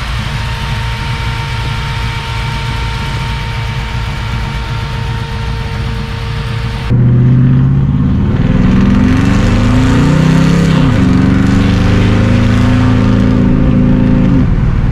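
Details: Warm engine of a newly reassembled XR about to go on its first test drive settles into a steady idle of about four beats a second, then picks up smoothly with no tapping or stumble. Healthy, though the owner says the fan belt isn't pulling fully.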